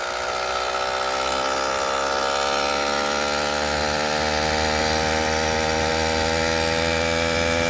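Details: New F-Zero A301 motorized bicycle, brand-new two-stroke engine on its first start: steady, high, even buzz with a slight climb, running cleanly; jet adjustments may still be needed; normal running.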